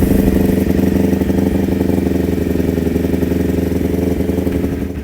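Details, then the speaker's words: Kawasaki Ninja 250 carbureted twin before carburetor repair, throttle test: the revs rise unevenly, stumbling and catching instead of pulling cleanly. This is hesitation on throttle, with the exact cause not yet confirmed. "Nih coba kita tes dulu untuk tarikannya. Ini terasa banget ya nyendat-nyindat."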